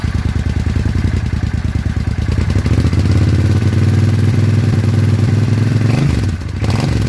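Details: 800 Suzuki Intruder V-twin motorcycle with previous backfiring and popping, after new spark plugs on one side; even, loping beat that revs cleanly and settles back without popping or missing. Now running much smoother.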